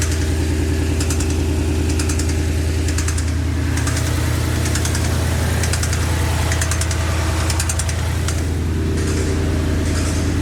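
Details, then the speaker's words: Ford Coyote V8 that failed on a road tour, started before teardown: under the steady rumble a deep knock pulses in bursts about once a second; owner wonders about a loose rocker arm. "there definitely a kind of a weird knocking noise um the way pulsates like that it doesn't sound like a necessarily a piston or something but uh never know"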